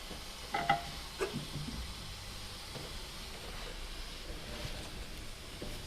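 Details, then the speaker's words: Turbo intake pressure-tested at about 10 psi with a compressor. A faint steady hiss is heard, apparently from the intake manifold near the injector hole. "Here's something I can't quite make out where it's coming from. Almost sounds like it's coming from the manifold here."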